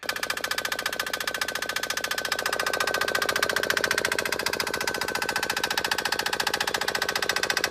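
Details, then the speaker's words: Diesel go-kart idling after some spacers were removed from the high-pressure fuel pump in a bid for more fuel pressure: sharp, even clacking about 3.5 times a second over the idle; increased diesel clatter since the pump change. "So after pulling out the some of the spacers there for this high pressure fuel pump, it definitely is a lot more clacky when it's idling."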